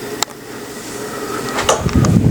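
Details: Harbor Breeze Marco Island 52-inch antique brass ceiling fan running: quiet steady motor hum with faint tones near 400 Hz and 1 kHz under room noise; noticeably noisy but still usable.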